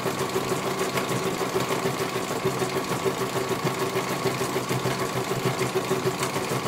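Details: CNY computerized embroidery machine being serviced, whose dynamo motor earlier would not turn: steady, even needle chatter with smooth motor hum, no catching or grinding; stitching normally, one colour finished, judged very good.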